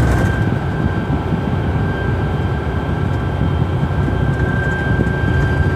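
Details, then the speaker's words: 2011 GMC Sierra Duramax turbo diesel cruising, heard in the cab: steady high whistle with a fainter overtone over road rumble, wind singing across the aftermarket LED light bar fins, not the turbo; fixed by adding door edge molding to the fins. "you can hear how obnoxious and loud so this is our fix we're gonna go ahead and start putting this on the back of the LED light bar where the fins are making the humming noise or frequency sound inside the cab"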